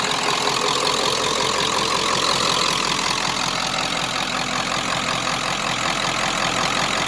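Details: 1995 Ford F250 7.3 Powerstroke diesel, about 180,000 miles, stock, Royal Purple oil, idling after a glow plug cycle start: even clatter with a loud exhaust, no misses or knocks, no smoke; healthy idle.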